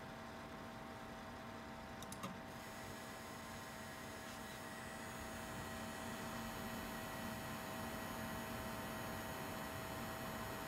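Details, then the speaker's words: ASUS ROG Strix RTX 3080 under load: steady high buzzing whine over fan hiss, typical coil whine from coils inside the GPU vibrating. "as you can hear for those of you that know this is a typical case of coil line where you just hear the coil inside the gpu vibrating"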